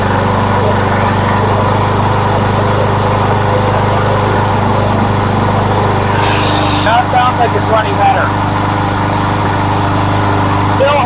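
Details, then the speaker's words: Rebuilt trash-find MTD lawnmower engine after bending speed tab to raise rpm: steady buzz, then brief coughs and stumble, bucking; owner suspects weak carburetor diaphragm spring tension. "hiccuping and coughing here and there. Oh yeah, it's bucking."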